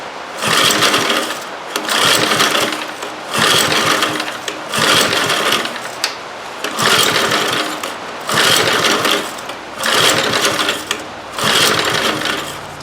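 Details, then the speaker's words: Old eBay generator with carburetor jet adjusted and choke on: eight recoil pulls, engine spinning over each time but never firing; cranks without starting, owner suspects carburetor or fuel pump not priming. "Well, sounds like the carburetor's not working. It's probably that fuel pump."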